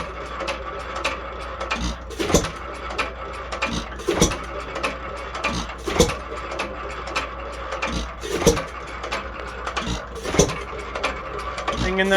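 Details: Unmarked 1 1/2 hp hit-and-miss engine (owner guesses Hercules) with ball governor, after cleanup and tune-up, running as slow as it will go and stay reliable: a firing bang roughly every two seconds with light valve and gear clatter between; normal slow running.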